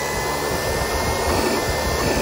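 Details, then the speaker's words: 1940 Plymouth Autolite generator on the bench after a broken brush spring was found and both springs and the bearings were replaced: smooth, even whirring while motoring clockwise, with no rubbing or grinding; normal running. "it's turning in a clockwise direction generators matter so an all-in-one charge either direction a generator will not so this thing is motoring clockwise which is correct"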